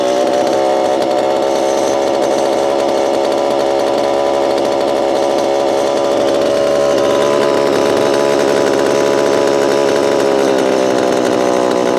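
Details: Repaired Homelite Super EZ chainsaw, boxed about two years after transit damage, on its first test run after reassembly. A crisp, high-pitched two-stroke buzz holds at steady high revs, clean and even with no stumble; throttle response is instantaneous: normal running.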